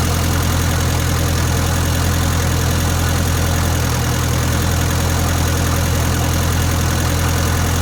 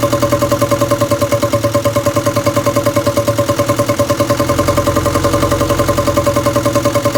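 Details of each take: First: 1962 Land Rover Series 2A 109 2.25L diesel after setting valve clearances and checking timing: low, steady idle rumble, even and settled, no knock or stumble, much smoother than before; truck still has very low power. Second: 1962 Land Rover Series 2A 2.25L diesel, after setting pump timing: lumpy idle around two hundred beats a minute with ringing tappy clatter, rocker adjusters left completely loose from exhaust-peak timing check, giving excessive valve clearance.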